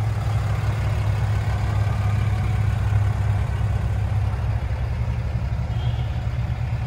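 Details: 2007 Dodge Ram 3500 4x4, 6.7 Cummins diesel, 68,000 miles, six-speed automatic, fully serviced: low steady diesel rumble with an even beat, no knocks or rattles; very quiet, normal healthy idle.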